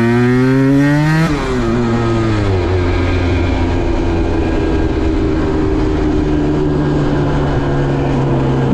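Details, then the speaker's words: 2010 Aprilia RS 125 two-stroke, VHSB34LD 34mm carb before tuning (162 main, K57 needle top clip, B36 pilot, air screw 2.5 turns): revs climb, then break into a blubbering stutter around 6,000–7,000 RPM. The midrange is suspected too rich from the stock needle; a K21 needle leans it. "Off camera, I've since been for a few small rides around the block and found the bike has lots of power but has a famous stutter around 6,000 to 7,000 RPM."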